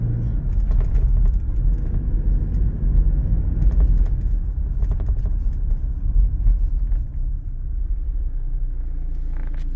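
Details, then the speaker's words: Toyota SW4 driving on the road: over steady road rumble, irregular light plastic clicks come and go. The passenger seat belt buckle is rattling against the B-pillar trim; turning or latching the buckle stops it. "esse barulho que Vocês ouviram ali é justamente isso é a fivela do cinto de segurança batendo ali na carenagem da coluna ali da coluna B da caminhonete"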